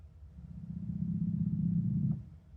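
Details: Roland FR-1x piano accordion accidentally set to FR-1xb button-accordion mode. At power-on the top two keys give a low, buzzy growl that swells and fades, and the other keys play wrong notes.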